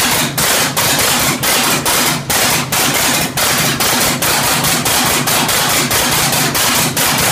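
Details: 1967 Oliver 1750 diesel at first start after its second overhaul: sharp, uneven knocks about twice a second over rough running; injection timing was off, later corrected.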